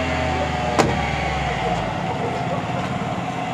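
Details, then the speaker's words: Car engine at first start of the morning, cold after a night of heavy rain: steady raised hum with no dips or misses, held at high RPM fast idle. "वैसे तो आज ज्यादा देर इसका आरपीएम् इतना ही नहीं रहा लेकिन अभी हाई है इसका ठीक है"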